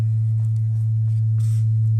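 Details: Gas-fired water heater moaning with a loud steady low hum, around 100 Hz, while the burner fires, coming from the tank not the flame; the phone mic misses the deep rumble. Vent pipe rotted through and exhaust drafting back into the residence, so replacement is needed.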